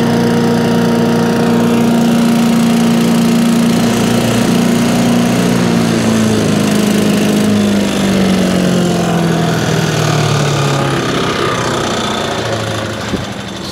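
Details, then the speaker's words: Small engine on a home-grade wood chipper/shredder saved from the dump, not yet serviced, spark plug looks good: even buzzing, fat-sounding run with a steady tone that sags slightly over the seconds, no misses or knocks. "this one runs it will have a service before it goes out anywhere in fact it's a fat sound"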